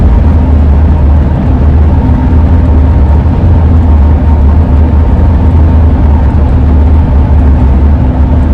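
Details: 2001 Ford van with AA ladder roof rack, relocated but still howling, cruising: steady low hum with constant droning tone over road rumble coming off the roof rack; wind howl.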